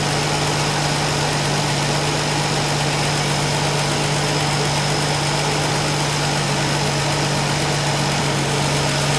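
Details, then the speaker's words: 1965 Ford Falcon inline six, warmed up, idling: steady even idle, smooth low hum, no audible valve tapping; the suspected tapping valve was likely imagined, engine sounds healthy. "So basically, we don't know if we ever heard tapping. I believe that it was all a figment of our imagination."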